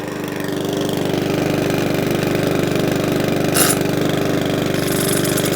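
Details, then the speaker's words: Mountfield 414 mower after a leaking-carburetor repair, running on fresh fuel: it started straight away with a quick, even putter at steady speed, no hunting or surging; running cleanly. "give that a little squirt it started straight up no mucking about no hunting surging nice"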